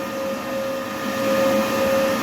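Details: Charger fan on a 14S industrial drone smart battery charger, after repair of a charger error that stopped charging; now charging fast at about 64%, no error code. Quiet, steady mid-pitched hum, constant tone, no rattle or warble; normal fan hum.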